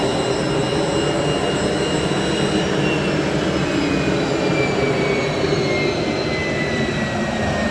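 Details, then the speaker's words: 3-phase 7.5 HP (5.5 kW) regenerative ring blower, a CNC vacuum pump, on a budget 10 HP VFD, after cleaning out debris: smooth, even high-pitched whoosh with a steady hum, no scraping or rumble; running normally. "actually that sounds a lot better now yeah I think we're good that is acceptable"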